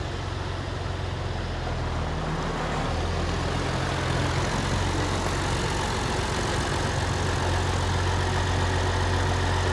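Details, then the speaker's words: Massey Ferguson 1105 tractor, an abandoned project machine, with an old diesel idling after a drive: deep, even chug holding steady with no stumbles or knocks. Normal idle. "Oh, that sounds nice. This is a good sounding old motor."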